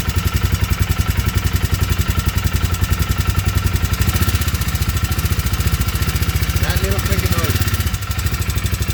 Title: 2019 Polaris 500 engine knocking..